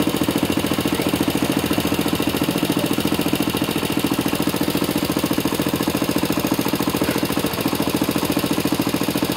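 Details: Engine with faults: loud, hard knocking beating evenly without letup over the idle; serious internal knock, cause suspected but not confirmed.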